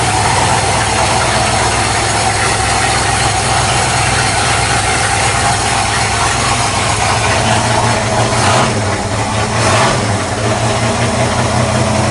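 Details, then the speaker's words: 1979 Ford F-150 V8 with a Holley 4-barrel carburetor and good oil pressure: steady, even idle with a smooth, unchanging beat and no knocks or misses, running healthy. "Horse sounds good, oil pressure's good. She's a unit. She's most definitely a unit."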